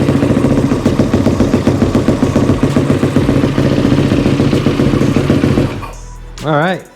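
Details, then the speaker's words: Yamaha YFZ450R after securing the fuel pump wire that had knocked off: fuel pump primes, then a steady single-cylinder idle with no misses, knocks or stumbles; running normally. "this girl is back in business"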